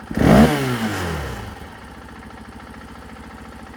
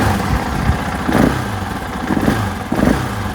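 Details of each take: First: 2024 KTM 500 XW-F after fitting a Vortex ECU (stock it bogged and flamed out): three sharp throttle blips from idle, revs climb and drop cleanly with no hesitation; crisp, healthy throttle response. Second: 2024 KTM 500 XW-F on the stock ECU and emissions setup: single-cylinder idle is uneven, with a sagging beat about every second and brief bogs. It is a lean stumble; the bike flames out easily when the throttle is whacked.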